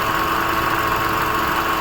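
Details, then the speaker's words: Hyundai i20 at idle, heard at the engine bay. A constant rough "dhoo" drone that stops when the belt is removed; the belt is slightly cracked, and the fault is a failed AC compressor clutch pulley bearing. "जैसा कि सुन सकते हो आप लोग किस तरीके से आवाज आ रहा है धू करके।"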